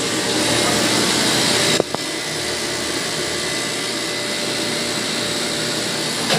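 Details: Motor pump (pump 2) after repair, replaced leaking part that was seeping oil, tested on manual then auto: steady even motor hum with constant high whine, no knocking or rattling; normal running.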